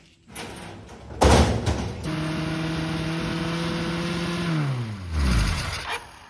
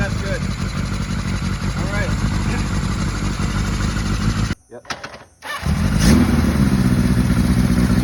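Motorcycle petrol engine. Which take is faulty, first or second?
first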